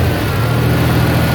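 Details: 2.9 V6 with new TPS, new injectors and new vacuum lines: steady low drone with slightly uneven, lumpy idle, no clear knock; still rough idle and won't decelerate right, cause not found.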